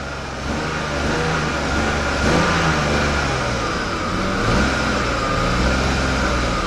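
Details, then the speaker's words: BMW E39 5-series that has just started after a crank-no-start, with the service engine light on: uneven, lumpy running, revs surging and sagging as the throttle is feathered to keep it alive. It misfires and cannot hold idle. "I'm I'm actually feathering the gas, which I mean by that is actually I'm hitting it like this to keep it running. Hopefully get it to stay running on its own."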